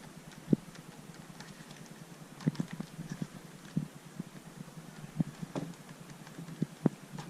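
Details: Asus ROG GL702VM laptop screen: sharp irregular cracks and pops over quiet hiss when opening, closing and pressing the screen edges and back, like plastic flexing; bezel creaking, hinges solid.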